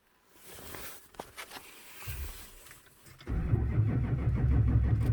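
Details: 2004 Chevrolet Silverado 2500HD 6.6 Duramax, towed in, cranks no start, no codes; zero rail pressure on scan. Clicks then steady starter churn about four beats a second, never firing; lost prime from suction-line leak, fixed with new 1/2" fuel hose.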